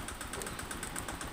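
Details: Honda Vario 125 injection scooter (K59), never serviced and oil never checked, with rough running, hard idle, white exhaust smoke and radiator coolant running out fast; a fast, even ticking knock about eight per second at idle.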